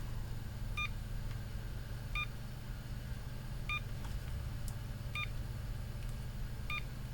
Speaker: so one quick bleep on the same frequency as the one for short, continuous blip, and the Schottky, which is a different frequency